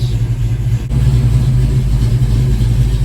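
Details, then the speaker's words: 1987 GT with a crank no-start issue when warm, at cold start and warming up. Idle is about 900 rpm (formerly 750) and air-fuel is near 14.7. Steady low rumble with an even beat; normal idle. "start it up no problem idling no problem so we're gonna let it warm up a while"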